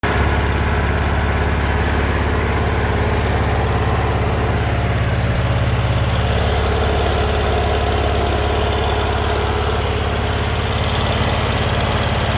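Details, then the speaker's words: Generac GP15000E generator running after draining stale year-old ethanol 87-octane fuel and refilling fresh; started on choke, deep steady thrum at constant speed, no surging, running smoothly. "that's what happens she runs i hit start button choked a little bit fired off and ran"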